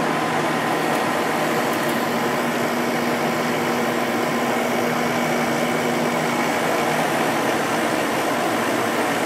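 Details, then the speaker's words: Sharp 8500 BTU window air conditioner with Matsushita compressor and Samsung fan motor, spring startup: steady, even rush of fan air with constant low compressor hum, no rattles or cycling; running smoothly. "I love the way these air conditioners sound."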